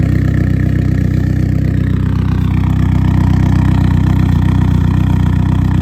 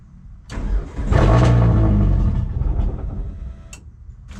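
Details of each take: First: eBay turbo Sonata with straight-pipe exhaust, first start after nearly three years not running, following new spark plug wires and fuel line repairs; steady, smooth idle with even exhaust pulse, no stumbling or misfire, then winds down; normal idle. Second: Turbo Hyundai Sonata not run for nearly 3 years, fuel pump fuse pulled: steady cranking catches and runs roughly a couple of seconds on residual fuel in the line, then dies.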